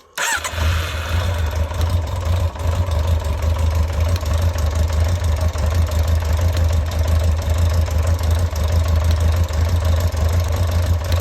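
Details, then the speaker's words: Carbureted motorcycle after replacing a home-modified airbox with the original, carbs had run empty, bike leaning off its centre stand where it starts better: brief cranking burst catches into a deep uneven low idle that settles; slow to fire, cause unconfirmed. "vrai qu'elle n'aime pas être de travers la moto. En général, quand elle est sur sa béquille centrale, elle démarre quand même mieux."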